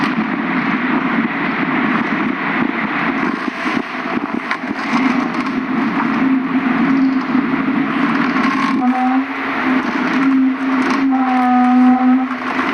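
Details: Car driving with a noise from the driver's side, louder when turning left than right and absent when turning the wheel while parked; steady rough rumble with a tone that rises and wavers, likely during a turn; cause unknown.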